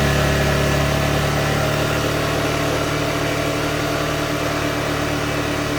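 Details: Honda Forza 350 scooter, about 2,526 km, after replacing rear wheel bushings to prevent rear wheel wobble: smooth even rev with rear wheel spinning freely, no rubbing, ticking or wobble noise; normal revving.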